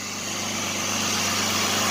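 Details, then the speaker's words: Jeep Liberty, 201,905 miles: steady even idle hum, no knocks, misses or ticks; owner thinks it runs slightly smoother after changing some wiring; had earlier failed to start once. "But yeah, it's running pretty dang good, actually. Maybe running a little bit better after we changed that wiring in that one part. It sounds a little smoother to me."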